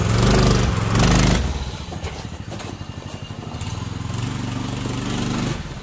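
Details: Newly installed Predator 212 6.5 hp OHV engine on a 1990s Manco Thunderbird minibike: two quick revs, then back to a low, even idle with steady beats and no rattles. Runs healthy.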